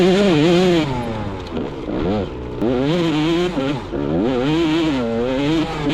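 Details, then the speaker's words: Two-stroke motorcycle fitted with a homemade longer silencer with carbon fibre end cap for more low-rpm power; crisp ringing rasp rising and falling cleanly on throttle blips; sounds better than before, with some rattling crunch noted. "Ignore the rattling crunch up and you can still hear that lowly ripping sounds even better than before."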